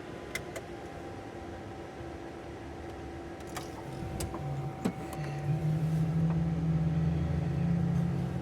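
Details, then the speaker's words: Cessna turbine engine, right engine started first on 24 volts, starter cutting out at 43%: starter whine with a low rising tone and steady ignition ticking as the turbine spools up; good, normal start. "And then we're just waiting for 43% for our starter to kick out. You can hear it, and also if you look down, you can see it cut out right there. It cut out. So we got a good start."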